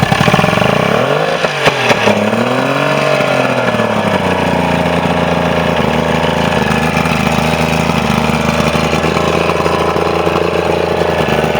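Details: Mercury Quantum 90 outboard, final run after fixing a no-start issue; blips up and settles into a smooth, even idle with steady pitch and no misses or knocks, sounds healthy.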